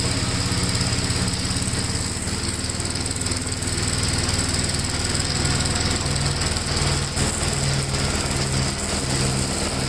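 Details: 1957 Gravely tractor mowing test: steady, even engine drone holding its beat under mowing load, no knocks or misses; runs pretty good, normal running under load.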